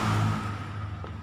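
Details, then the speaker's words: Honda Supra 125 electric starter motor spinning in the wrong direction because the magnets in the housing were fitted reversed: brief electric whir winding down with no cranking thump, starter spins free without engaging the engine. "sebetulnya dinamo staternya Motors tapi arah putarannya yang di sini nggak nyangkut otomatis ya cuma berputar-putar"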